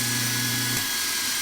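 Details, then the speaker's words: 1940 Delta T5074 repulsion-induction motor, bench-tested after disassembly, commutator cleaning and brush-spring setting: a smooth high whir that kicks right up to speed, with a light steady brush hiss. The brushes always ride the commutator in this design, so the noise is normal. "smooth makes a little bit of noise but you know the the brush is red on the commutator this isn't the design where the brush is lift out of the way so you always hear that"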